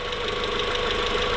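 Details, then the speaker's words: Newly built engine in a VW Mk4 at first startup, warming up at idle, steady with a light regular pulse; secondary air injection ran briefly and quietly with no hissing, where it was loud before. "the secondary air injection kicked on and didn't stay on for very long and it was quiet really didn't hear any hissing noises before used to be really loud"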